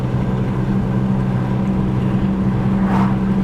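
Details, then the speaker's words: 1984 Chevy Citation on a road test around 50–55 mph: a steady low droning hum. Worn right front hub bearing. "oh there's that hub bearing you hear it it's the right front yeah watch if I turn left it'll go away"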